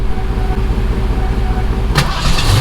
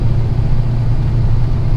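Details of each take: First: Fox-body Mustang with Magnaflow exhaust, sat for months, battery weak: long crank then uneven catch, stumbling before settling into a lumpy, throaty idle; rough start but running. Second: Ex-daily Fox-body Mustang driven after sitting for months, with an almost full tank: a steady, even low engine drone under way with no knocks, misses or surges; the engine is running smoothly.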